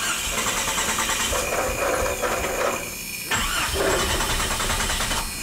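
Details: 1996 Jeep 4.0L cranks but won't start, no spark: starter turns the engine over with a rough, uneven churn and it never fires. Ignition coil failed during A/C service; fuel pump and fuel pressure ruled out.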